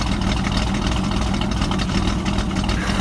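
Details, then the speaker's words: Pontiac Firebird after Seafoam, no vacuum leaks found, owner thinks it runs a little rich; lumpy, uneven idle with a steady stumble about three times a second, a misfire that happens sometimes, especially after sitting, for about 10 minutes. "sounds like it's got a cam in it or something. It's got a steady misfire too. It doesn't idle like that all the time, I guess, just sometimes."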